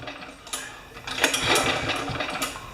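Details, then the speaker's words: Craftsman mower with Kohler engine after an oil change and air filter service; the pull-start spins it with uneven compression puffs but it never fires. Cranks with no spark, no start. "1, 2, 3, 4. No spark. No go."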